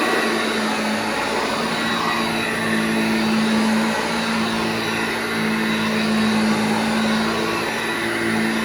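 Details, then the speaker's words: Vintage Hoover Junior 1334 vacuum cleaner after full restoration, demonstrated running in a room: steady, even hum with smooth motor whine, no rattle or grinding; motor runs normally. "Okay, so before we send this machine on to its new owner, I just want to give it a quick demonstration in this room, just for you guys to see it and hear it in action."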